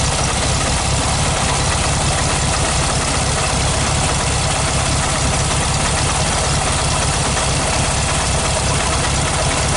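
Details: 1969 VW Beetle, 1500cc air-cooled flat-four, after a cold start on the third try with a bit of choke: busy, constant clatter at a steady idle with no stumbles or hunting. Normal idle.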